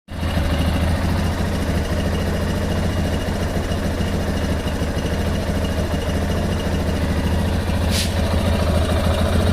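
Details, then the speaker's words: Lander 250 single-cylinder at idle, running 10W40 oil and not smoking: quick rhythmic mechanical chatter riding on the exhaust beat comes and goes, then stops and it runs normally; intermittent abnormal engine noise, cause unknown. "Aí o motorzinho faz esse barulho, ó. Aí daqui a pouco ele para o barulho."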